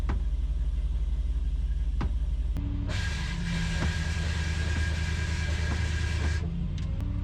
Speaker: I don't know if you guys can hear that squealing, but this thing's got a belt driven pump for the hydraulics, and I don't like that.